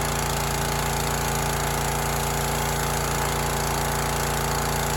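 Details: Teande 4200 psi pressure washer, Rato 209 cc Honda-clone single-cylinder engine, running with water connected after an obstruction near the flywheel was cleared and cleaned: rapid, steady chatter with no misses, surging or scraping; normal running.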